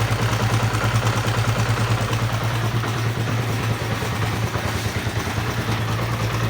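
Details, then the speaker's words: Honda CB150R motorcycle at idle with rough-noise complaint: dry clattering rattle about three times a second over the exhaust thump, seemingly from the upper left of the engine; cause not yet confirmed. "Motor ini suaranya sangat terdengar kasar, kemerosok pada bagian mesinnya, tetapi sepertinya masih di bagian mesin kiri ya teman-teman ya, di bagian atas ya."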